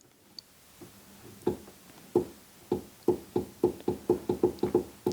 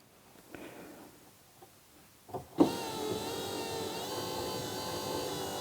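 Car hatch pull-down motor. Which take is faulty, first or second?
first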